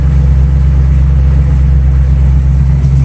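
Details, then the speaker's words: 1965 Mustang idling warm, just below 180° with thermostat opening, after fitting aluminium radiator and electric fan replacing the old mechanical fan: steady, even low rumble, no knocks or fan roar; sounds much better without the old fan. "It sounds a lot better without that. Yeah, much better."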